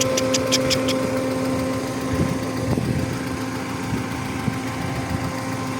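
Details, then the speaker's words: Audi 80 B4 2.0-litre petrol, warm idle: light, uneven, fairly quick ticking over the engine note. The hydraulic lifters are suspected but not confirmed; the car does not smoke, burn oil or misfire. "Вот сейчас конкретно вот слышно стуки гидриков, потому что они такие"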